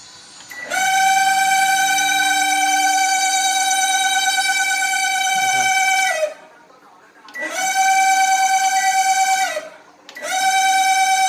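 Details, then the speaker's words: Samsung microwave running: loud, steady buzzing whine cuts in and out; caused by the magnetron's dry, stiff cooling fan motor. "อากากาศเสียงดังพวกนี้นะครับส่วนใหญ่ไมโครเวฟนะครับเกิดจากตัวพัดลมระบายความร้อนของมะนีตรอนนะครับ"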